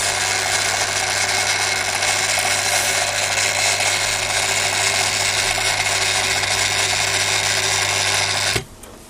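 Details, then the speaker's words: Daiwa DR-7500 antenna rotator (essentially a Kempro KR400) with refurbished, upgraded internals, turning and stopping; constant low hum with gear buzz, then the off-axis motor clunks back onto the brake, noisy but normal. "Hear the off-axis motor going clunk clunk as it drops back onto the brake. These motors have always been a bit on the noisy side, and the gears are set up in these things, so it is what it is."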